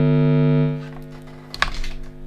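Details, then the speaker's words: Generic wall-wart adapter placed near a guitar pedal input: loud buzzy hum with stacked steady tones. Mains noise radiates from the adapter and its wires into the signal chain. "all right you can hear how noisy that is so a lot of noise coming from the wall and from the wires as well"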